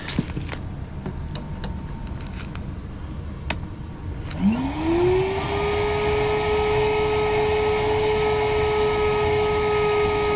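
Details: Cordless vacuum motor clearing a heavily clogged AC condensate drain line: whines up to a steady tone, then sags slightly and holds lower as the battery dies.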